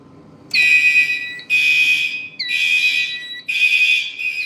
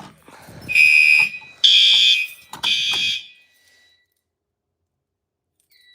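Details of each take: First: A fire alarm panel drill run with the horn circuit disabled: a high shrill alarm tone sounds in bursts about once a second with short gaps, at a steady pitch. The panel's drill signal is working normally. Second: A fire alarm panel runs on backup batteries during a battery test, with the emergency light and exit sign on and the charger found to have been left disabled: three shrill alarm tones, each fading and shorter, then silence as the battery fails.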